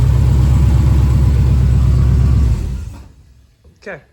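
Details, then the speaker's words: 1970 Chevelle after a big-block swap, restarted to check the torque converter: deep, even rumble with a steady lope and no knock standing out, running well. Lifters are suspected of knocking and the intake may be pulled to inspect them. "Fire it up one more time just to make sure we don't have any [ __ ] from the torque converter. [Music] Runs beautiful."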